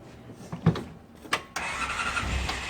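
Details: 2006 Polaris Ranger XP with the foot-brake start switch bypassed by a small jumper wire: a couple of clicks and a short crank, then the engine catches and settles into an even idle. Starts cleanly.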